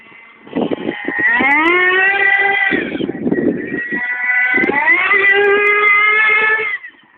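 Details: Thunder Tiger nitro RC car turning: small nitro engine revs up and down in loud buzzy sweeps with rattly bursts between, a loud noise on turning, cause unknown.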